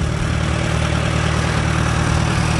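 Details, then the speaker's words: Antique Farmall tractor with carburetor trouble, fuel bowl just cleaned and Sea Foam being run through; owner says it is not a tank issue: steady low throbbing idle with slightly uneven beat, fuel delivery still seeming unsettled. "so we got a runner and we're gonna let her run and get like i say get that sea foam in there"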